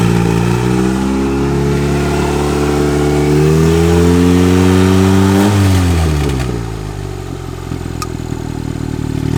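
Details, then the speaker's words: Mitsubishi Lancer 4G15 turbo, first start with the downpipe off: a smooth, even engine note rises cleanly with the revs and settles back, no knocks or ticks; it sounds healthy and fairly tame. "wow all right I think I think everything's functioning well that doesn't really sound that loud it's actually pretty tame with the downpipe off"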